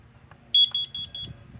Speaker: you could go ahead and tell that this one's four beeps and this one's three so if you hear a three beep that's a that's a smoke if you hear a four beep